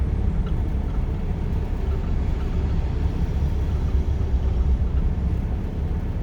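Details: Mitsubishi 420A engine (DSM) with hesitation: low, lumpy idle with uneven pulses; cause unknown. Rough idle.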